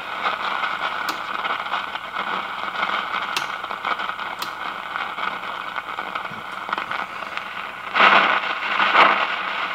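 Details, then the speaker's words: 1953 Hallicrafters Atom four-tube radio being fed a strongly modulated signal from a loop: only faint hiss and scattered crackles with a barely audible tone while converter and IF stages are probed; weak crackling audio, signal loss suspected in the IF stage. "I got the modulation turned up so loud this thing should be just blasting through this radio right"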